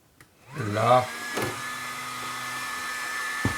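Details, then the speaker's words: Tamiya XV01 RC car with brushless setup and a large cooling fan, nearly full throttle: quick rising spin-up into a steady even fan hum and high whirr, transmission itself silent; normal cooling fan noise. "alors le ventilo qui est dessus il fait du bruit mais la transmis en elle-même elle fait pas de bruit du tout"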